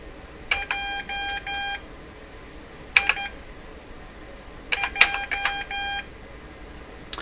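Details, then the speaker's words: Morse Writer keyboard thought to date from the mid-1970s (likely a kit) for ham transmitters, typing a first name: crisp high keyed tones in a few short Morse groups, then silence before the name finishes; it has no buffer, so fast typing cuts sending short. "what happened it didn't get very far I just do my first name"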